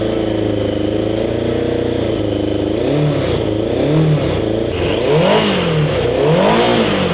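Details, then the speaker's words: Turbo Yamaha motorcycle first start after about 40 years sitting, oil pooled in exhaust pipes: catches and revs unevenly in ragged surges, never settling, smoking before dying; rough running on first start. "We got a lot of oil, I think, in the bottom of these uh pipes. Let's see if it goes We lost it. Well, they ran for a little bit, enough to smoke."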